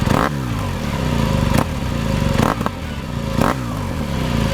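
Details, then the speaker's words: BMW R1200 GS on its center stand, throttle-snap check during a pre-ride inspection: the engine pitch sweeps up with each blip and drops cleanly back to idle, so the throttle snaps back properly with no sticking. "So what I'm listening for, the engine noise comes up and then it goes back down. If it stays constant, high and constant, that's bad. It's got to go up, come down."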